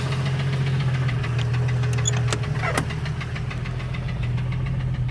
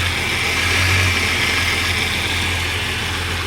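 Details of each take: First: 1989 Jeep Cherokee XJ 4.6L I6 stroker on aftermarket pistons, knocking after 700 miles: the idling inline-six makes a steady hollow knock about three times a second, diagnosed as piston slap; temperatures had been getting high. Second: 1989 Jeep Cherokee 4.6L stroker I6 (4.0L based), first start after replacing one piston for piston slap; the engine had started knocking after 700 miles. It now gives a steady, smooth low idle with no knocking or slapping.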